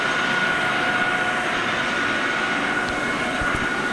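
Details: Lathe cutting O1 tool steel stock for a boring bar, outside diameter turned to about 0.750 in with a newly replaced insert on the final cut: smooth, constant hiss, steady high ring, no chatter or squeal. Clean, even cut, finishing at 0.7503 in.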